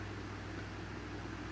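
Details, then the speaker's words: Maspion standing fan after repair of slow running then total failure, motor and swing motor working again; running at speed 1 with quiet even motor hum and steady air rush, no rubbing or ticking, strong airflow, normal running. "Nah jadi anginnya cukup oke ya, cukup cepat ini, cukup kencang anginnya."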